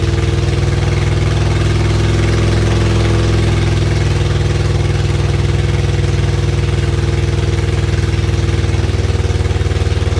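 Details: Freshly rebuilt supercharged Acura Integra engine, first start after reinstall with exhaust not yet finished: loud steady idle, even exhaust beat, no knocking or ticking; healthy.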